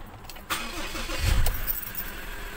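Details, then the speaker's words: 2020 Ford Ranger Wildtrak automatic, in park, started after an engine bay wash: a short crank, then it catches cleanly and settles into a steady, even idle with no stumbling. A normal start with no check engine light. "Paandarin natin. So normal lang po yan."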